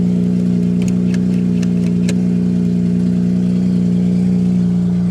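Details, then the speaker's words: Mazda RX-8 Shinka rotary at a salvage auction, fired up on its own; idles and blips with a buzzy, raspy edge and fast popping pulses, loud and unmuffled; exhaust suspected cut off and straight piped; raspy exhaust note. "that sounds uh a little raspy so i'm thinking somebody may have just cut the exhaust off and straight piped it"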